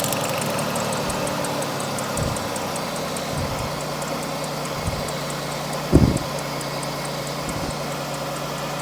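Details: GM/Pontiac 3800 V6 with P0300 code idles roughly with an uneven, stumbling beat; two cylinders on the second ignition coil show no spark, fixed by replacing the ignition coils.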